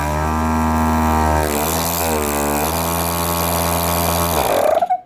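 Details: Harbor Freight Central Pneumatic air compressor run with the head removed and a thumb over the outlet: loud steady motor hum with a strong pumping buzz that spins up, then winds down and stops; a high-volume pump.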